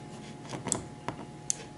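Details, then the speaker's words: Printrbot Simple Maker's kit 1405 Rev F 3D printer during assembly, carriage moved by hand: a few light, sharp clicks as the end stop switch trips at end of travel, normal operation. "Esse barulhinho aí foi o sensor de fim de curso chegando ao final do motor. É para isso que ele serve."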